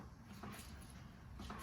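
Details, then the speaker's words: RockShox Recon fork, previously clicking at full compression, after fix: only soft air and rubbing sounds over two compressions, no click; fork now quiet. "no noise guys so that's how you fix it"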